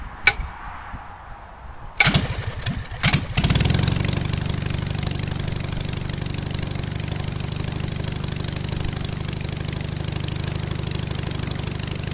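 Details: 37 HP half-VW 1037cc cut-case Hummel airplane engine, Tennessee 54x20 propeller, on test stand in cold about 30°, hard to start: after a few coughs catches and settles into steady even drone, no misses or knocks. Normal running.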